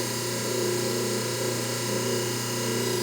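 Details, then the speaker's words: Hobart A200 mixer after a rebuild with new transmission shaft keys, at full voltage: steady motor hum with smooth gear whir, no knocks or slipping. First gear, previously lost, now engages and runs normally. "so there it likes that that's first gear so we can turn that off and put it in second gear"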